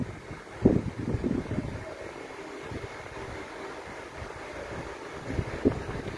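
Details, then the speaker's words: Panasonic F-EL402 16-inch fan on speed 2, oscillation stopped: even airy rush with soft steady motor hum, no rattle, ticking or wobble; running smoothly with strong airflow. "Dan untuk suara itu dengan kecepatan 2 lalu anginnya super kencang seperti ini."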